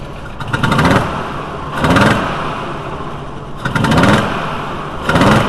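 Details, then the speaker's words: VW T4 2.5L with intermittent rough running when cold, smelling rich: uneven idle with heavy lumpy surges about once a second; cylinder one wet, intake valve suspected staying open, later found to be a broken intake valve spring. "I'm gonna touch a vacuum huge and see if I can get the pressure pulses on the vacuum gauge it's got to be a valid staying open"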